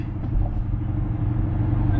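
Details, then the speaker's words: E53 BMW X5 driven at highway speed, recorded from inside the car: low, steady droning hum pulsing slightly, like "w-w-w-w," under road noise; worn driver-side (left) rear wheel bearing, confirmed before replacement. "all right we are out attempting to reproduce this wheel bearing noise apparently it's coming from the left rear so the noise is sort of like a ww w w w kind of sound"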